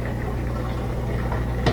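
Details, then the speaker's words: Miele washer drain test after pump work, where the old pump's impeller was poorly attached to the motor shaft and sand was suspected: stop pressed with a full tub, steady low hum and even gurgling, no grinding or rattle; the drain pump empties quickly and runs normally. "and you can hear the drains active, and it's getting rid of the water really fast."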